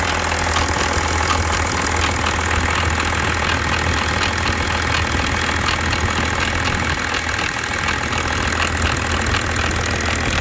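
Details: BMW 730d E65 with M57N2 diesel: fast, uneven metallic ticking rattle over the diesel idle clatter, timing chain suspected but unconfirmed; engine rattle at idle.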